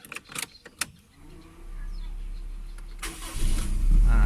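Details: Toyota Corolla AE101 after starter motor replacement, battery reconnected: brief starter whir, engine catches first try and settles to an even idle; starts cleanly with no grinding.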